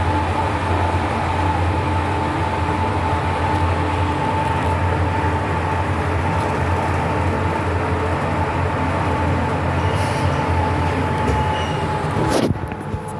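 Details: Fujitec lift (Lift A), 8-person/540 kg, floors 1-11, Blk 410 Choa Chu Kang Avenue 3, Singapore, filmed Dec 2022: steady low rumble with a thin constant whistle throughout travel, dropping away at the stop; odd running noise, cause unclear.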